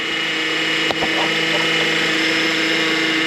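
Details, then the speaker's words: 2009 Honda Accord at idle: steady power steering pump whine, steering still works fine; fluid in the reservoir is aerating and bubbling; fix was topping off with Honda fluid and replacing the cooler tube, hoses and serpentine belt. "so if we look down into the reservoir you'll see that the fluid is actually starting to aate and bubble and that irration is what you're hearing in the pump"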